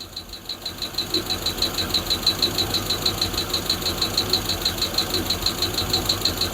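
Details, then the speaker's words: Freshly built Hemi V8 in a Plymouth Duster on first fire-up, homemade intake, fuel cell, warming at idle: a sharp light tick about three times a second over a smooth idle, one noisy lifter; oil then found low; high-volume oil pump fitted. "Everything sounds great. I just got that one tick. I don't know if you guys can hear it."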